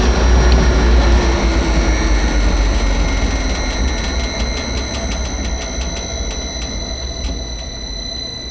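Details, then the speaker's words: Variable frequency drive with carrier frequency lowered from 16 kHz factory setting to 4 kHz: constant piercing high whistle over the three-phase motor's low hum as it winds down, carrier frequency whine. "right now it's set so this is at 16 I can't possibly right but go down I'm gonna go down to four you should really be able to hear this oh yeah you can hear that"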